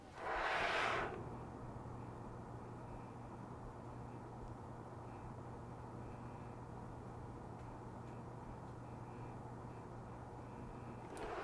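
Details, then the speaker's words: EVGA W2 600W 80 Plus PSU with a 120mm temperature-controlled fan, recorded close to the mic from the fan side. A soft steady fan whoosh carries a faint low vibrational (not electrical) hum. The owner suspects the plastic guards are resonating. "There is some odd resonance coming from it, which I can't quite put my finger on. It sounds like possibly some of those little plastic guards that they have on"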